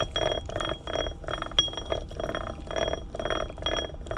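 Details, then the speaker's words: Can-Am Renegade rear differential with all shims removed, gears spun by hand: repeating metallic clang about twice a second with a ringing note; zero ring-and-pinion backlash, causing premature gear wear and heat. "all right so there's no shims in there now and you can kind of hear that the gear is really clanging together"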